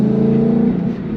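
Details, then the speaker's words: S197 Ford Mustang manual donor car on a test drive: a steady mid-pitched whine rides over the engine and sags as the gear goes in; owner suspects a gate not fully opening or a clutch not fully disengaging. "it makes that weird wine noise so I think what I was reading online was that like there's a gate that's not fully opening or something that won't let you engage the gear"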